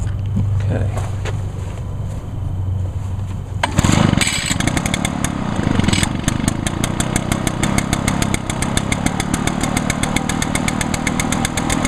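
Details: 2011 Echo PB-500T backpack blower, 50.8cc two-stroke, used all winter and run the day before; choked, five primes; pull-start catches at once, crisp rapid buzz settles to an even idle with no stumbles; healthy.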